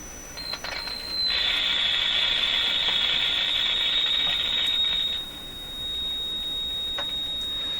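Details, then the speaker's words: Philco 38-C7 tube radio during RF alignment check, hooked to an antenna with meter and signal generator grounds removed: steady high whistle about four seconds, then drops to a fainter tone as oscillation pitch changes, cause unresolved. "basically the radio setting here hooked up to an antenna so look at the pitch of the oscillation change entirely"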